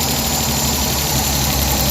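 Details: Suzuki DA64/DA63/DA17 that vibrated strongly with the AC on due to a burnt, overheating wire, idling after the wiring repair with the AC on: steady, even idle with a smooth low hum and no shake or knock. Fault fixed.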